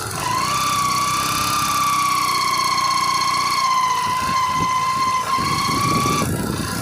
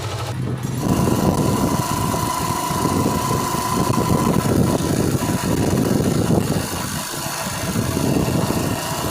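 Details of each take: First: Old-model Yamaha Crux, test ride: steady engine run with a sustained high gear whine holding pitch; engine sound changed while driving, traced to a worn primary drive gear (GPD pinion) behind the clutch cover. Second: Old-model Yamaha Crux bike on test ride after replacing worn primary drive gear pinion (GPD): engine ticks over evenly, gear noise about 99% gone; faint remaining rattle from slightly worn clutch housing gear teeth.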